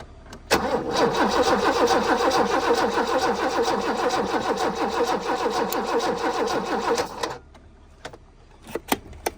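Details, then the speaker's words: Abandoned BMW E30 with 10-year-old gas, cranking while checking for fuel at the line: steady starter churn about two turns a second for seven seconds, never fires; line dry, no fuel reaching engine. "so is there no fuel no it's dry so it's a fuel issue"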